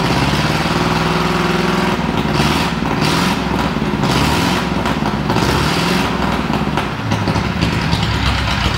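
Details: 1937 Ford flathead, 6-volt system, sat a year, 97 carb, running on battery alone: uneven idle, beat stumbling and pitch wavering every second; missing often, owner suspects low voltage, blowby noted.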